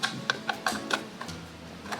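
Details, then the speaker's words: Wool yarn winder cranked by hand before disassembly: irregular sharp ticks, about five in two seconds; gear clicking, internal gearing feels loose. "When you turn it you'll hear a strange noise You'll notice the internal gearing feels loose"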